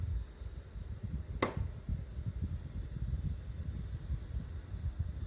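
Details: New Mitsubishi MSZ-HR25VF indoor unit, first on a multi-split system: single sharp crack/knock over the low steady hum; knocks quieter and rarer than on the replaced units but persist.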